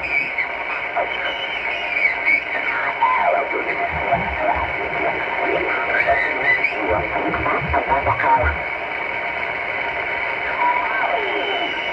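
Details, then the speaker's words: HF receiver on 20 meters with AGC turned down, picking up thin whistling tones drifting slowly in pitch over band hiss, repeating every 29/58 kHz and coming in through the antenna; the station's own equipment has been ruled out. Interference whine. "So if you can hear that whine right there, so that's where it is, right there."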